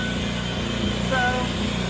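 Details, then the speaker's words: Old generator not started in about three years, running on three-year-old gas treated with Sta-Bil after pull cord replacement: starts right up and runs steady and even, no misses, surging or knocks; healthy. "it hasn't cranked in three years uh put that stain bill in it and uh now i guess i believe in that stuff because it runs right up"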